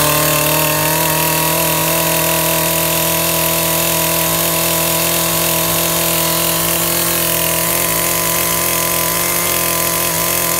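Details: Makita top handle climbing chainsaw after ignition coil replacement, test cutting wood: steady high buzzing rev holding smooth and even under the cut, no stumbling, running sweet; chain oil output low, air filter missing.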